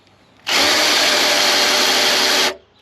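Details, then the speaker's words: Free 327ci Chevy V8 on a cold morning, oil pump driven by a drill after backing off the lifters, oil coming up; the drill whirs steadily at high speed without bogging, spinning much more freely than before. "It's doing it so much easier."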